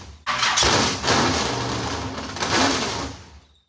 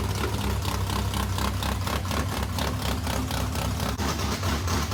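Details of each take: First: Modified car's first start after months of work. Fires straight up and runs rough about three seconds, then fades and dies; stalls after start. The shelf-stock fuel pump was found bad and not delivering fuel. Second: Modified race car V8, first fire-up after months of work following fuel pump issues: loud choppy idle with steady pulse about two per second; engine runs normally, passenger-side water pump gasket leaking.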